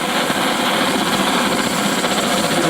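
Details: Antique paraffin blowlamp, newly assembled and tested outdoors: a steady hissing roar with slight wind-driven flutter and no sputter or popping; the burner is running properly.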